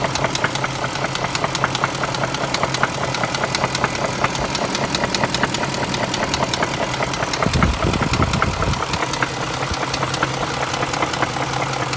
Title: BMW X5 - 4.6is M62tu Engine Knock (part 2)